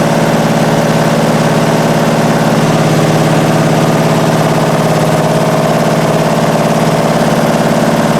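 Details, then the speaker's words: 1968 Triumph TR250, first start after restoration, idle screws out two and a half turns: uneven idle around three and a half beats a second, never settling; carb linkage and timing need adjustment. "so all right so it runs and obviously needs a lot of adjustment as far as the linkages to the carbs are concerned as far as the timing is concerned"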